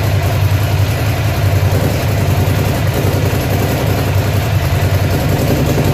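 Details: Ducati Monster (696/795/796/1100 family) V-twin at idle: deep beat stumbles unevenly with missing or weak pulses; engine misfire at idle.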